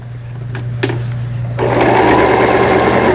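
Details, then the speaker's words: Toyota CB03K household sewing machine (vertical hook, made 2006 in Hangzhou, China), fully disassembled and repaired, sewing straight stitch (pattern 8) at fine stitch settings 7 and 6: quiet motor hum then smooth, even rapid stitching whir with no knocking or binding; normal operation. "7번에 놓으면은 바느질이 조금 촘촘한 모양이 되겠습니다. 6번에는 아주 촘촘하죠."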